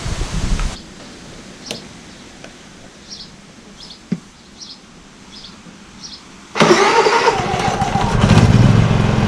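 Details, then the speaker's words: Honda EU30IS generator, GX200 engine rebuilt with new piston rings, gasket and reset timing after severe smoking: one pull, pause, then it fires on the next pull and settles into a steady, even run, no smoke, no misses. "with it starts with the pull handle no smoke run smooth"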